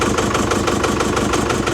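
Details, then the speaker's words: 2019 Chevy Colorado diesel, about 4,000 miles after purchase, smoking heavily: loud rough idle with steady knock about six per second, tensioner bouncing, and puffing leak; engine knock plus exhaust leak at the turbo back, possibly a missing bolt. "Jeez, that is working hard. Tensioner bouncing. Sounds like an exhaust leak a little bit, too."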